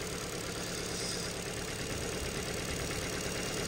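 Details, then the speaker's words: Ford Fiesta salvage car with suspected flood damage, idling: steady, even idle with unbroken hum, no misses, despite stored misfire codes on cylinders 1 and 2; owner unsure if plugs are to blame. Normal idle. "um so yeah but it's actually ticking over and running quite nice so I don't know if it's something to do with the plugs or the"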